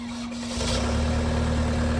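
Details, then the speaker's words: Cold start of a 2002 Vermeer V5750 trencher/backhoe, Deutz 59 HP diesel, 1,200 hours, county-maintained with regular servicing: catches within half a second and settles straight into a steady low rumble without stumbling; normal start. "But I'm here with Isaac. He'll fire it up, give you a nice demo."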